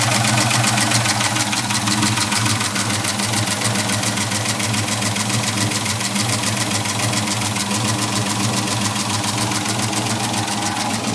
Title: Clicking/ticking noise. What is it?